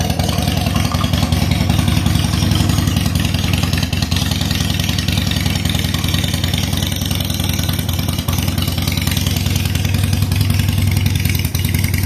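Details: 2007 Harley-Davidson Sportster 883 Low air-cooled V-twin after reassembling the fuel pump into the tank: lumpy but even idle of about three to four beats a second, starting right up and holding steady at about 60 psi fuel pressure (spec 55–62). Healthy idle.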